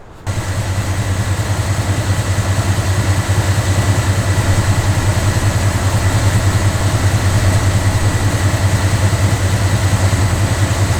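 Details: Small-block Chevy truck just after a mechanical fuel pump and fuel filter replacement, idling while checked for leaks: steady, even low V8 rumble with no misses or ticks; no leaks, pump primed quickly.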